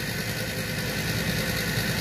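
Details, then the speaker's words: Trane 6-ton gas package unit during maintenance: loud steady whirring roar with rough rattly edge; inducer motor worn and failing, guessed at about 80% airflow, ignition module flashing three times for pressure switch fault. "I noticed that our inducer motor is making a lot of racket it's still blowing air but it's as I'm sure you can hear it's very very loud"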